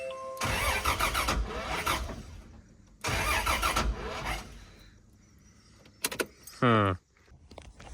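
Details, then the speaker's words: FZ turbo car: two long cranking bursts with ragged, uneven firing that never catches, then a brief whine; misfire from coil pack wiring fitted backwards, after two swapped cables; still no start. "all right so I noticed I had all the coil pack wiring somehow backwards and then when it was trying to fire before and it was misfiring"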